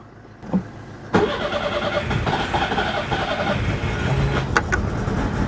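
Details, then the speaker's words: Citroen GSA air-cooled flat-four, after long storage as fuel pump starts delivering fuel: short crank, then catches and runs roughly on some cylinders before picking up all of them; hard start. "aha that's some of the cylinders jezelle oh that sounds like we might have got all of them there we go got there eventually"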